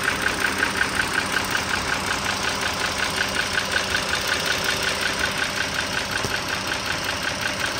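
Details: 2009 Dodge Journey SXT V6 (3.5 L stated, title says 3.6 L) idling, mic near the engine: a crisp, regular tick nearly three a second from the top-end valvetrain. Owner suspects the rocker arm assembly, unconfirmed.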